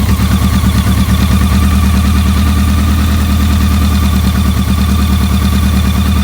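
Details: BMW K100 four-cylinder, where a dirty #4 injector plug had caused a no-start: even, steady idle with a smooth low beat, no misses or stumbles; running normally.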